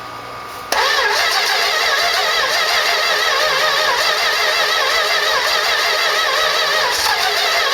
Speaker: button pumps here trying to start sounds like i might have the timing too slow um give it just a little bit of advance squirts here you know that idle might be down to nothing